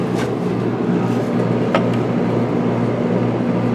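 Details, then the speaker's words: 1995 Starcraft Stardust pop-up camper rooftop AC working hard: steady, even compressor-and-fan hum with low drone, no knocking or rattling; blowing well, normal running under heavy load. "i think the issue we had is we had it was running hard and we didn't have our curtains up helping keep some of the heat out so oh that didn't help any making it run even harder and she's blowing pretty good"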